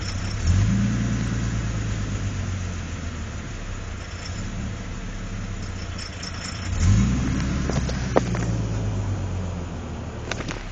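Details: V6 Camaro petrol engine surging and dipping by itself, then blipped twice, with sharp knocking taps as revs rise and fall.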